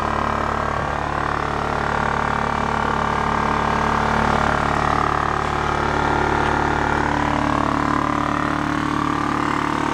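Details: Scrapyard Honda EX650 generator burning out residual premix fuel: constant, even drone at steady speed, no hunting, misses or knocking. Judged in good shape.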